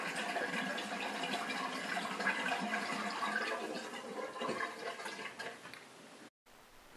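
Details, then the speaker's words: Bosch SHE4AP02UC/06 dishwasher with a stop-start drain pump fault, sump filled with 4–5 litres of water: continuous gurgling rush as the pump drains without a break, tailing off as it empties; repositioning a small part restored normal draining. "success somehow the positioning of this little part either makes the dishwasher run properly or makes it completely fail at pumping out water"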